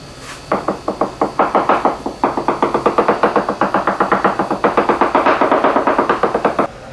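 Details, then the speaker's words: Leopard 45 catamaran hull, hammer tap test on the new section of fiberglass: steady taps about four a second give crisp ringing knocks with no dull thud; normal solid laminate. "all right so all this is normal now behind here the chain so you're can to have a different sound"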